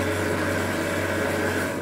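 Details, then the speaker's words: Wie-Jie WJ-30P thread cone winding machine, new unit, spinning with thread routed through the guides: steady, even hum with a constant low drone and no knocks or rubbing; the winder runs smoothly and sounds healthy. "Jadi terlewati benang karena benangnya lewat sini, sini, nah ke sini baru sini. Dia akan berputar seperti itu ya."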